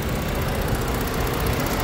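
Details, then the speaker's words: Ford car cooling fan module test, idling with AC on, fan control voltage pulled from 12 to 8 V: steady even rushing air over smooth idle, both radiator fans running normally, no rattle or scrape. "the two fan are working if I cut this wire the fan will not work"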